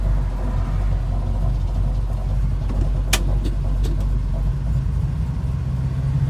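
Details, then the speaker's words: 1970 Dodge Challenger convertible on pre-purchase road test, about three miles driven, idling in drive: deep lumpy idle with a light metallic rattle now and then; something loose, cause unclear. "one thing I noticed is that when I'm at idle and we'll see you can hear this"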